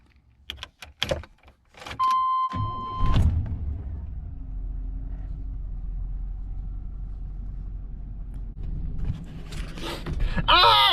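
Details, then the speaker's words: 1998 Chevrolet Silverado K1500 4x4 (OBS), 276,000 miles: key clicks and chime, short crank, quick catch, steady even idle; starts cleanly, normal start. "it starts so good. Eee! I love it."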